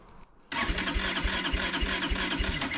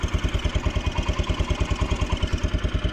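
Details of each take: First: Kawasaki Brute Force 300 ATV with a Kymco engine and 180 compression, a black plug and backfiring. It won't start on choke, only by working the button: the starter grinds, then uneven chuffs about three per second never settle. Hard starting from a tight intake valve. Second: Steady single-cylinder putter at about three firing pulses a second, clean with no tick or miss: a Kawasaki Brute Force 300 ATV with a Kymco engine after valve adjustment and valve cover gasket fix, no longer leaking; a faint chirp from below, possibly clutch.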